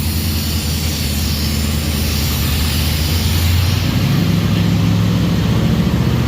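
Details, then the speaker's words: 1951 Mercury with swapped-in 355 Chevy V8, first start after install, burning grease off; deep, steady burble with smooth even beat, no ticks or knocks; normal idle. "sounds badass good for us burn all the grease off"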